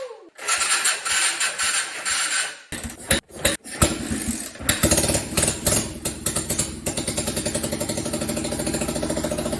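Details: Honda 250 Fourtrax ATV from junk bikes, reassembled with spark plug, carburetor and fuel tank: a few seconds of cranking and sputtering, then it catches and settles into a steady, even single-cylinder idle with regular firing pulses.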